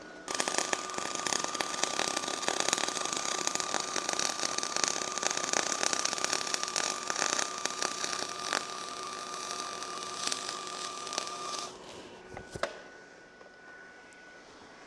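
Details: R-Tech 181 Digital MIG welder with spool gun on aluminium, voltage turned down: even, fine crackle holds steady for about twelve seconds then stops; a consistent arc giving an acceptable first-attempt bead.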